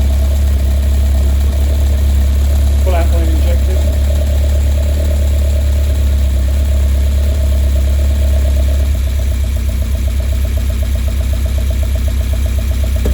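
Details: Westfield with a Zetec Blacktop petrol four idles with a lumpy, uneven beat and an irregular stumble every few firing strokes. This points to a misfire of unknown cause.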